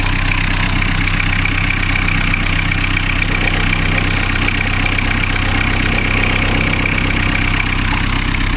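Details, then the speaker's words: Diesel car engine rebuilt 2-3 years ago: high, rapid chirping ticks over a steady idle that stop once soap is rubbed on the belt, showing the V-belt is worn and slipping and due for replacement. "Bakın benim de o kuş sesim tamamen kesildi. Sabunu sürdükten sonra. Bu da demek oluyor ki, yani burada benim arızayı tespit ettim ben. Bu da demek oluyor ki arabanın V kayışı eskimiş arkadaşlar."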